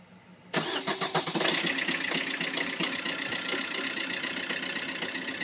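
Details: Vauxhall Corsa Ecoflex cold start: starter whirrs, engine catches, then a cold idle with an uneven, stumbling beat, a misfire when cold present since new that the dealer calls characteristic.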